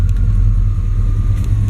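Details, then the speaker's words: Truck idling in gear, worse with AC on (torque converter suspected, lockup gone): deep, heavy, strained rumble pulled toward a stall, like letting a manual clutch out; lights make no difference, not electrical; power-braking stops it; cause suspected, not confirmed. "It's like the engine's being lugged down. You know what would also do that if you had a manual transmission and you let the freaking clutch out a little bit? It acts the same exact way."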